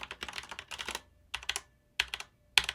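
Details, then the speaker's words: Corsair K70 TKL RGB mechanical keyboard with Cherry switches and greased stabilizers: fast clacky typing with a faint metallic ring lingering between keystrokes, the aluminum base and plastic under-shell pinging. "the other thing you might be hearing here is there's a little bit of pinging a little bit of ringing right down through you got that aluminum base with that plastic under shell there"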